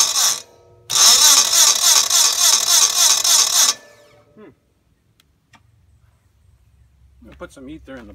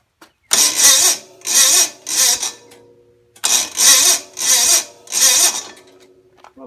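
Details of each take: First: Red Gravely 450 tractor with Onan CCKA engine, about 45-year-old original starter replaced by a new smaller, lighter one: fast, even cranking whir about three and a half times a second, strong and steady; normal cranking. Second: Gravely 450 Onan CCKA engine, roughly 45-year-old original starter with lubed Bendix, jumper box: several short sluggish cranking bursts that never catch; starter works but lacks power, later replaced with a new starter.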